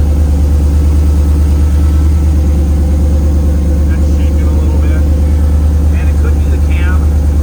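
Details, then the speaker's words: 1937 Nash coupe with 6.0 Vortec V8 after upgrade to 58 lb/hr injectors, Holley Terminator X Max: lumpy uneven idle with a loping beat about once a second, strong fuel smell; one bank dead because a coil pack was unplugged. "I'm thinking well that's kind of odd just one side is not doing it can all these these coil packs be bad and then I looked and I realized this was not plugged in"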